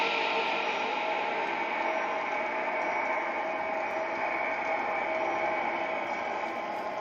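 Steady high ringing tone holds over rumbling tunnel noise throughout, an unexplained ring from the train with no obvious cause.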